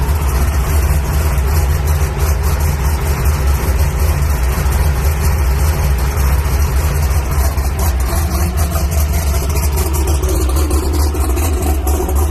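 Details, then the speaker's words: Drag race car at Brainerd International Raceway, just started while an oil leak of unknown source persists: deep, loud, lumpy V8 idle with steady low rumble throughout; race engine runs healthy. "Well guys, as you saw, got the car fired up. Sounds good. I love the sound of this car. Oh man, that sounds awesome."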